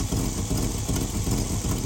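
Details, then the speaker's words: V8 at idle, base timing 10° checked with digital timing light: steady, even smooth low rumble with no misses or knocks; engine running normally, timing unchanged. "timing did not change. You can hear the engine. It didn't change. All we did was move from checking our timing at the timing chain cover to checking it at the timing light."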